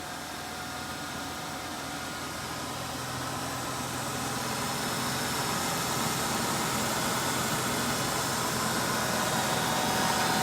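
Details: 1995 Ford Thunderbird Super Coupe after its 3.8 supercharged engine with a long-standing bad rod bearing was swapped for another 3.8: steady, even idle hum with no knocking or tapping, slowly rising level; healthy normal idle.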